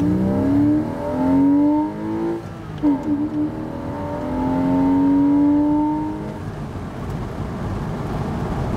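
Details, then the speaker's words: 2000 Porsche 986 Boxster with a 2.7 flat-six and no modifications, about 60° outside, accelerating on a 55 road to 60 mph in second gear: strong smooth pull, a quick shift, clean rising flat-six note with no misses or knocks. "there was 60 in second gear sounds fantastic wow hey you know what for having no modifications"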